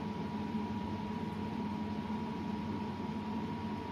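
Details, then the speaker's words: Ferroli double induction hob, cooling fan after a circuit mod raised its supply from 12 V to about 17 V. Steady airy rush with a constant, even hum. Fan runs faster than before and sounds normal. "mình đã độ cái mạch quạt cho nó quạt nó chạy nhanh hơn nhá đấy các bạn nghe nghe nghe tiếng gió"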